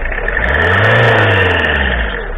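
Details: Citroën ZX XUD diesel revving at standstill after the accessory belt tensioner pulley was replaced and the belt retensioned; it runs clean with no belt squeal.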